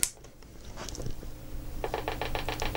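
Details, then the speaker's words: Macintosh LC rescued from recycling, cover off, at power-on: no startup chime, only rapid even ticking about seven per second, seemingly from the speaker. Cause undetermined; PRAM battery swap planned first. "okay we have a ticking noise I don't know if you can hear that on the camera all right sitting here this has seems to be coming from the speaker"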